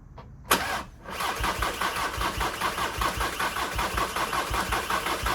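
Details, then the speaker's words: VW Sharan 2.0 TDI common-rail diesel (CFFB) after a timing belt and rocker cover job, injectors not bled, cold start after one to two weeks: short crank, fires within a second, steady even idle clatter; starts fine. "So here's a cold start after maybe 2 weeks, at least a week anyways, because I was doing this"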